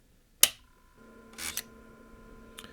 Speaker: Okay, it made that noise again. And the heads moved forward about 2 mm. And then it actually made small movement again, but this time less than 1 mm.